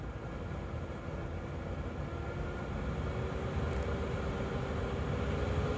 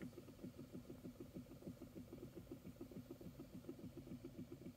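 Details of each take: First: 2012 Chevy Equinox HVAC blower with new blower motor tested across speeds before cover refit; steady airy rush and smooth hum rising in pitch, fast start, replacing the old motor's clicking noise; normal blower operation. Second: 2012 Chevy Equinox old blower motor at high fan speed; steady low clicking about three per second. The motor sometimes fails to turn on, with a burnt motor smell from the vents; worn brushes, and the blower motor needs replacing.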